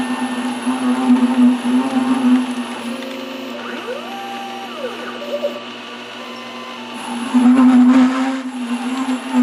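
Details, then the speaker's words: High grinder whine with a rough rattling cut while threading the ER40 side of an ER40-to-5C adapter on a lathe at a slower speed; not chatter but the tool cutting the tops of old chatter marks. "fortunately this noise is not chatter but more or less the cutting of the tops of the chatter marks sounds the same but this one is actually a little more beneficial"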